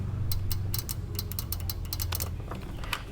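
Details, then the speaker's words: 2012 Infiniti QX56 5.6L, engine off, high-pressure fuel pump solenoid tapped to battery power via test leads; sharp irregular clicks, while diagnosing P0088/P0090 codes after a replaced pump. "so I can hear it clicking I'm pretty sure it moves"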